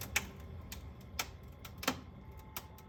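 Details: Whynter heater set to 68 degrees, low fan, heating mode, then stopped. Irregular sharp ticks, roughly one to two per second, sound over a faint hum; clicking at shutdown, source not yet identified.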